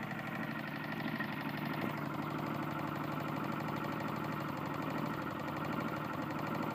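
Small mower engine at steady speed with a heavy knock repeating over the running noise, keeping time with the engine; rod bearing worn.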